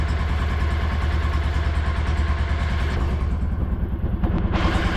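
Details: 2016 Kawasaki Mule 610 after badly needed valve adjustment, in neutral, before warm-up and oil change: deep steady low putter with even beats and no top-end tapping; runs much better, idle slightly high.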